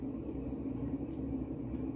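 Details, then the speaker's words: Mid-1980s Montgomery Ward Evergo 48" spinner ceiling fan, model 4E-3LW, Union-made reversible motor, on its original solid-state control at medium-high speed. A steady low gritty rumble comes from worn bearings, not the motor; it was possibly run 24/7. "so i take back what i said about having a motor noise that actually the motor isn't that loud it's more bearing noise than motor noise"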